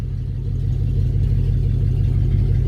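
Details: 1966 Ford Fairlane V8, worn with blow-by and oil use, exhaust cut off, started after sitting a long time before drivetrain removal: loud, deep open-pipe burble at a steady idle; unmuffled V8 idle.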